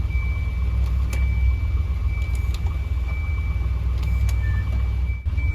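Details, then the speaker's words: Volvo 240/244 idling after reconnecting a climate control vacuum actuator: switch clicks cycling modes, no hiss from vacuum lines behind dash; vacuum leak fixed. "Out, in, and out, in, and out, probably at least one more time. Not even leaking a drop of vacuum."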